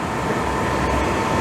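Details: Suburban propane furnace in a motorhome, running after being cleaned because it would not ignite: steady, even roar with a faint constant hum and no popping or sputtering; the exhaust sniff test smells good, so it is burning properly.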